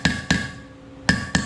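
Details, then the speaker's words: 1983 Toyota Land Cruiser FJ60 front hub seal driven in with an offset seal driver, tapped all the way around: four sharp hammer taps turn to a solid, firmer note, showing the seal is seated flush. "and that noise is telling me that this is nice and flush"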